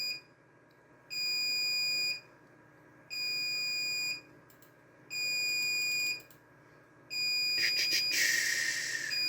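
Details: RAID controller alarm at boot: a steady high beep, about one second on and one off, repeating nonstop, with a light blinking in sync, because one hard drive in the array, physical slot one, has failed.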